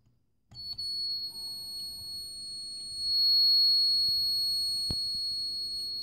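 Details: Addzest APA-4320 car power amplifier making a steady, piercing high-pitched whine with fainter higher tones. With the lid open, the noise was found to come from a coil: coil whine.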